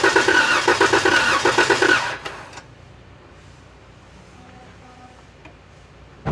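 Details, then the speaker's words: 2016 Dodge Challenger 3.6L V6, crank-no-start, faulty fuel pump: on starting fluid in the throttle body, rough uneven firing about three pulses a second with backfire, catches two seconds then dies; no fuel from pump. "it's a little bit of backfire with the starting fluid that's why like i said just be careful you know on how much you guys put into the throttle body but as you guys saw the vehicle did turn on momentarily"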